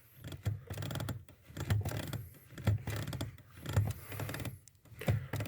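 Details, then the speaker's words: 1992 VW Passat B3 clutch pedal: low dull crunch with each press as the pedal assembly bracket flexes toward the steering column; inserting a taped coin in the gap stops it but transfers pedal force to the column. "этом как видно вот эта часть педального узла приближается к рулевой колонке если же вставляю монету груз пропадает"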